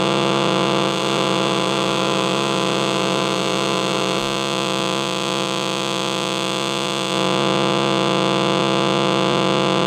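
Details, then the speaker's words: Switch-mode charger for a cell phone or tablet: constant hissing buzz with a steady whine on top; after unplugging, its capacitor holds charge and keeps it generating noise for a long time. "let's see how long this thing makes noise just sitting here wow and there it is it stopped so there you have it that's what the capacitor is doing in there"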